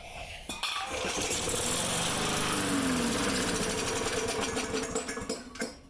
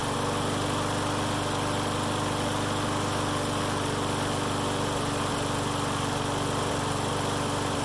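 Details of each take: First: Lawn mower after carburetor reinstalled, check valves squirting gas; catches and runs rough with uneven rapid putter for a few seconds then dies; starts then stalls, gasket to be replaced. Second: Mower that started then died, after draining bad fuel and refilling with fresh gas, running without air filter: steady, even drone at constant speed, no hunting, stumbling or misses; runs normally.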